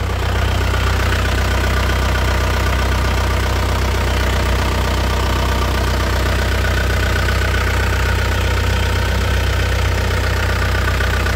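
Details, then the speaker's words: 2001 Isuzu Panther LS manual diesel at idle during an oil leak check: a steady, even clatter with no misses or surging, the engine dry with no seepage, and a healthy idle. "kalau ini Mesinnya tidak ngobos suaranya renyah mesinnya anteng tidak bincang kolong-kolong"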